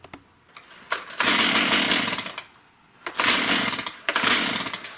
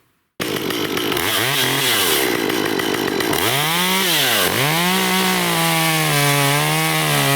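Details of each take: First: Stihl MS194T chainsaw that runs poorly, at startup. It catches in short uneven bursts, then sags and dies with a thin, muffled bark; far too quiet with little exhaust, plugged spark arrestor screen suspected. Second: Stihl MS194T two-stroke chainsaw, serviced for a customer complaint of bogging (fuel checked good), new chain fitted: revs up cleanly, dips and recovers in the cut, then holds a steady high buzz; normal running under load.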